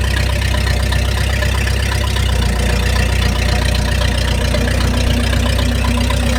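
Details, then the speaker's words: 1953 Packard straight-eight, cold start, then pulled itself out of a deep hole in low. Deep even rumble settling into steady idle, no knocks or misses; runs healthy. "wow wow does that ever run nice hey pulled itself out buddy it was deep in a hole there dude it was yeah yeah still runs great what an old girl"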